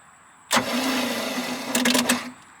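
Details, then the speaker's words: 1986 Larson V175 Seneca 17 ft ski boat engine, cranked on key with jumper battery after turning freely by hand: nearly two seconds of fast starter whir with uneven surges, slight gallop, doesn't catch. "so let's see what the key does this [Applause] time"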